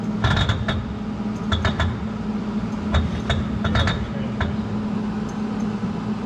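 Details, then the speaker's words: Former 1970 Dodge Charger racecar being revived, driveshaft checked with the clutch in: irregular creaks and light clicks over a low hum from the driveline; cause unidentified. "All right, clutch in. Aha! Wait, what's that noise?"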